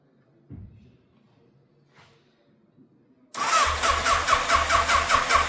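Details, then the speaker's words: 1988 Yamaha FZ750 Genesis, fire damaged, after rebuilding the carburettors, on full choke: engine catches with a lumpy, uneven beat, hunting between about 1000 and 2000 rpm, and cuts out as the choke is removed; cause not confirmed. "okay so it is still not running right whatsoever because you can well you can hear it it's like it's hunting it's reving you know it's going up to like 2000 r pm. then it's going back down to 1 and as soon as you start taking that choke off it is still cutting out"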